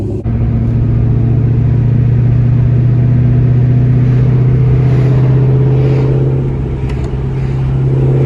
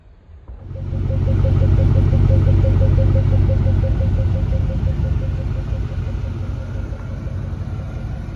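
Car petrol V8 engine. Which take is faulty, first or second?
first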